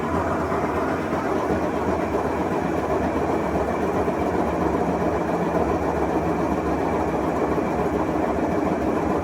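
A loud, steady grinding rumble through the spin, typical of worn washer drum bearings.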